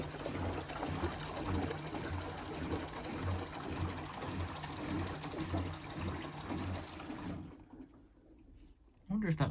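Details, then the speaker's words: Bosch WFP3300 washing machine first test wash, after refitting loose pump front: quiet steady low drum motor hum with faint fast brush ticking; normal running. "all it was that pump front wasn't screwed on right you can hear the ticking from the brushes but it's quite a silent motor"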